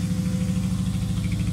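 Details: Honda Civic Type R EP3 with K&N filter and loud aftermarket exhaust, just bought: low idle thrum with a steady rhythmic stumble in each beat, uneven rather than smooth; misfire at idle.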